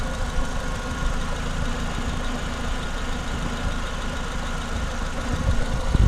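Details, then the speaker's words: Renault Clio 182 after timing belts and dephaser replaced, bonnet open: even, steady idle with a smooth low hum, no knocks or misses, smoother than before; engine running cleanly. "you can tell it's not so it's actually a little bit smoother and nicer sir"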